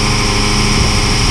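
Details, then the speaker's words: Oilfield water trailer PTO vacuum pump engaged via clutch and PTO switch: loud steady rushing roar with low even hum, no knocks or grinding; pump spinning and pulling air into the trailer normally. "okay you're gonna let the clutch out you hear the PTO kick on hear the pump kicked on I'll show you the pump's spinning pulling air into the trailer"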